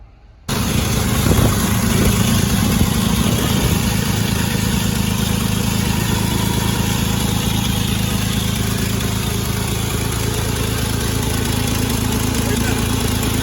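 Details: 1948 Chevrolet 3800 dual-wheel stake bed truck, long parked, start attempt: engine catches at once into steady, even low idle, no misses or knocks; normal idle.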